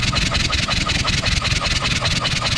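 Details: John Deere 1010 track loader diesel cranking on a compression test (about 220 psi dry, 230 wet, injectors likely clogged): steady rapid cranking pulses with even beats and no catch; compression low.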